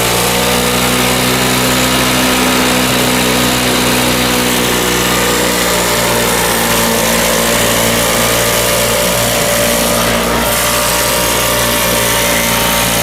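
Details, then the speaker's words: Circa-1980 Flymo two-stroke lawnmower, unused about 10-20 years, after carb cleaning: steady fast buzz with no misses or surging; runs clean and even. "Just brought it home, cleaned the carb, and it runs pretty good."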